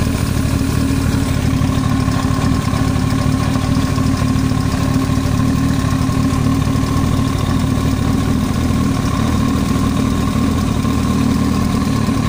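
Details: Yamaha YZF-R1 at steady idle: fast, even ticking knock over the engine note, unchanging pitch, foreign noise from the cylinder head; engine top-end knock.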